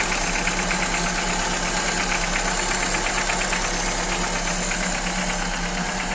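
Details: Old Opel engine, first start after replacing rocker arms and gasket (lifters replaced a month earlier), cold: fast metallic ticking about three a second over idle; valvetrain tick persists, owner suspects worn camshaft, unconfirmed.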